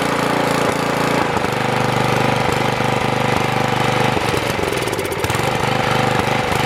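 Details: Troy-Bilt tiller engine, previously seized, carburetor bowl swapped back to old one after new bowl held float up: revs unevenly and stumbles once unchoked, dying; owner suspects insufficient fuel, float and bowl may need replacing.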